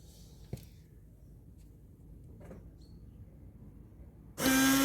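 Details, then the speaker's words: Renault Clio 3 windscreen washer pump, newly replaced after the old one failed: near silence, then a steady electric hum with spray hiss as the pump kicks in and runs cleanly. The new pump works normally. "je pense que vous avez entendu le bruit bon ça fonctionne c'est à la pompe c'est à la pompe qui était défectueuse pompe à eau d'essuie-glace à changer"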